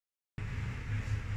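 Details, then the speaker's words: Toshiba automatic washing machine after fixing an E7-1 error caused by failure to drain: water is now drained and the spin dryer spins with a steady, smooth hum, no knocking or grinding; working normally. "so Ayan okay na nagspin dryer na siya So ibig sabihin Naubos na rin yung tubig niya"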